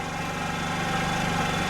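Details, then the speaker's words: Scooter after rebuild (new piston, cylinder, rings) that started poorly and stalled on throttle, after refitting air filter: even, steady idle, smooth low buzz, no misses or surging; starts with half a turn, normal idle. "Le cyclomoteur démarre bien maintenant, avec un demi-tour."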